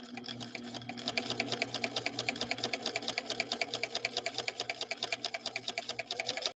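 The machine runs with a rapid, regular thump on every stitch cycle, far heavier than a smooth healthy hum; the source is not yet known.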